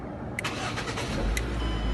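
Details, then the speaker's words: 2008 Ford Focus with faulty ignition switch, started via an installed push-button start switch after key on and a 3–5 second wait: short crank, then catches cleanly into a smooth, even idle; starts and runs normally. "there you go car starts it runs just like normal and the same you can turn it off with the key like normal car turns off"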